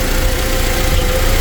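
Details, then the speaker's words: Toyota 2TR-FE petrol engine (Tacoma/Hilux/Hiace) idling, wheels off ground, after refilling and bleeding the power steering: steady, even idle with no pump whine; the clogged reservoir filter screen had been starving the pump, making it run dry. "you can see there's absolutely no noise from the pump so it was obviously the reservoir"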